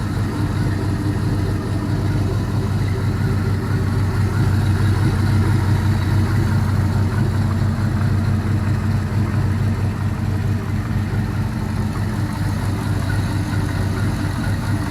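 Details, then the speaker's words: All-aluminum 5.3L L33 HO Gen 3 LS V8 on a test stand, cold and in open loop, idling at about 700 rpm, charging at 13.4 V: low, even idle with a quiet valvetrain and no ticking or smoke; normal idle. "so sounds real good even in a cold start there's no smoke uh seems to be running pretty rude pretty well"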